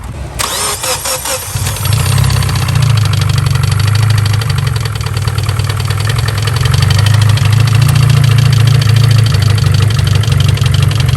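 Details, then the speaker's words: Engine that swallowed water and hydrolocked: cranks, catches and settles into a heavy idle with a loud, uneven knock about four times per second, likely a bent rod; the engine is considered done. "that was uh very loud here hold this real quick that sounds like a really bad knock yeah let me listen to it a little closer i did not sound healthy"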